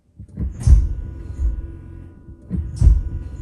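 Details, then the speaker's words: 2016 Mitsubishi Outlander PHEV, shifted into drive and pulling forward: two dull, deep thuds about two seconds apart from the rear, milder in reverse. The cause is a perished rear differential centre mount bush. "There's a bit of a thug, is it a thug? At the rear when you put it in drive."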